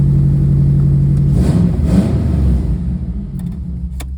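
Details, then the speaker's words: 2005 Subaru Impreza 2.5L that stalled on the highway with no ECM communication and a melted harness. After the harness repair it starts, blips, and settles to a steady low idle with no misfire; warning lights are still on. Normal running. "Well, let's start. And she's alive. I mean, we're lit up like a Christmas tree, but it runs."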